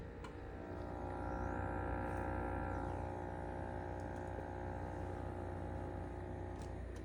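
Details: GE Monogram wine fridge running with a loud steady low rumbling purr, fast throb and faint hum on top; manufacturer claims the noise doesn't warrant replacement.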